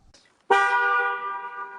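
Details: Aston Martin V8 Vantage bought as non-driving, with the roof not working and a water leak: a clear, steady horn blast holds an even tone, so the horn works properly.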